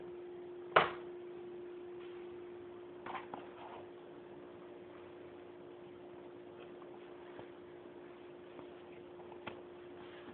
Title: Beeping noise, hitec A9